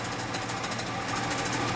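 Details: 1996 Holden VS Ecotec V6 idling: a fast, steady metallic rattle from the front of the engine. Owner suspects the harmonic balancer and plans to pull and replace it; not confirmed.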